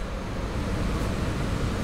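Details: Wrecked Dodge Challenger Hellcat electrical harness during first power-up, no key present, weak battery; steady even rush of air with no rattle or squeal, blower motor running smoothly, normal blower motor running.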